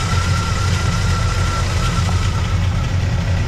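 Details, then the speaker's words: Squarebody truck V8 after repairing a broken header tube exhaust leak with ball-and-socket header flanges: deep steady idle, no puffing or ticking, slight smoke, a panel rattling at rear; exhaust now sealed, repair temporary. "much better I got a panel rattling back here all right I think I got my exhaust leak just figured out for now"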